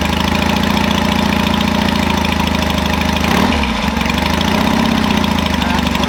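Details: 1967 Norton P11 vintage twin, concentric carburettors replacing monoblocks and ignition upgraded from magneto, fired up with three kicks key off then one key on; loud, even, rapid firing beat holding steady with one short dip and recovery; runs clean and healthy.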